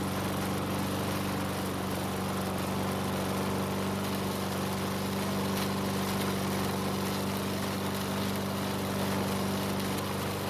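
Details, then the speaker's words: Craftsman lawn mower running: coarse, uneven shaking rattle over the engine buzz from a bent crankshaft, probably from hitting something hard while mowing; vibration makes the carb leak gas from the primer bulb and the engine eventually dies. "unfortunately the vibration is from a bent crankshaft probably caused by hitting something hard while mowing with it"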